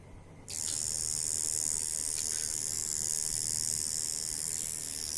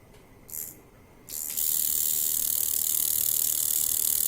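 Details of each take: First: Jaguar Beast coil tattoo machine at about 4 volts, spring tension around 300–310 grams after tuning, gives a steady, high, even buzz with no stutter or skipping; running smoothly and well tuned. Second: Coil tattoo machine at about 4 volts, before tuning: a couple of brief starts, then a steady harsh, high-pitched buzz with a very strong hit. Machine is out of tune.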